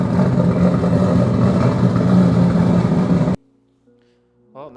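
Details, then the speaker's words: Freshly rebuilt, essentially stock engine on a stock tune at its first start, run with distilled water in the cooling system and no coolant leaks; steady, even low rumble for about three seconds with no knocks or rattles, then a clean shutdown; normal running. "Well, not that we smoked out the shop. That was a very successful first start. So I'm very excited about that."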